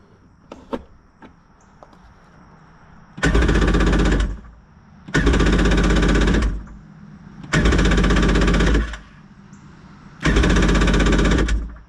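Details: Four bursts of rapid cranking, each about a second with quiet gaps, never catching on a free 1994 Yamaha WaveRunner III jet ski after a starter replacement and draining old fuel; carburetor suspected bad from stale gas. Hard starting.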